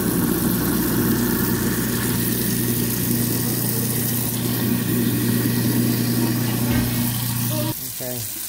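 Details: Garbage disposal after removal, repair and reinstall, deodorizer dropped in and run with hot water: steady low hum with water splashing runs evenly for about eight seconds, then shuts off; sounds healthy and free-running.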